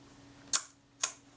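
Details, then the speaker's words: Kodak Retina IIa shutter after servicing and reassembly: two crisp clicks about half a second apart on bulb; normal shutter release. "that sounded snappy this should give us one second that certainly ran smoothly and a tenth should be somewhere about here that sounded credible too"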